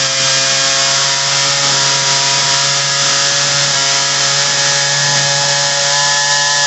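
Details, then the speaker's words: Ryobi RY3714 chainsaw before carburettor adjustment: steady high two-stroke buzz that never drops to low idle; idle far too high, customer likely altered carb settings. "um it runs fine i think the uh customer messed with it um idle is really high"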